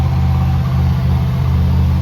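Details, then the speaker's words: 1990 Dodge W250 Power Ram in the pole barn, no longer trying to die when given gas: steady even drone that never settles to a slow idle; high idle, possibly why it ran poorly before. "It's definitely idling high, so we got to fix that. That doesn't sound right."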